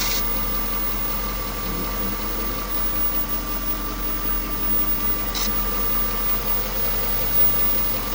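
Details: 1998 Jaguar XJ8 (X308) V8 after a cold start. A sharp static-like crackle every few seconds over a steady idle, new in the last couple of weeks. Owner hopes it isn't the timing chain; the upper secondary tensioners were replaced earlier. Finding: intermittent crackle at idle.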